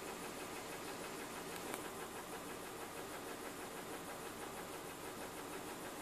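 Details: BMW M52TUB20 engine with an uneven, lumpy idle and irregular stumble; misfire on cylinder 6.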